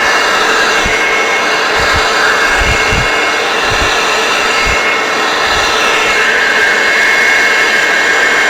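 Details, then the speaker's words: Hoover Turbopower Freedom U2262 vacuum cleaner, refurbished and cleaned, with the motor still to wear in: a steady, smooth rushing whir with a constant high note and no rattles or surging; running normally. "yeah that sound a bit better right so we know that it works"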